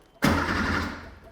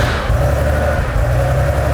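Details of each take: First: 1980s sports car barn find, undriven for 16 years, with a new battery; about a second of cranking that never catches and no fuel pump heard. The pump runs when wired directly, so it is a fuel pump relay or electrical fault, possibly mouse damage. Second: Restored Porsche 3.2 air-cooled flat-six; smooth drone climbing evenly with throttle, with no knocks, ticks or rattles. A healthy engine, used as a reference.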